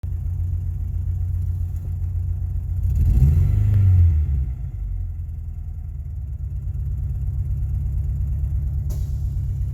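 Low, uneven idle that lumps and stumbles, with a brief rev-up in the middle; a rough-running four-cylinder just after start-up.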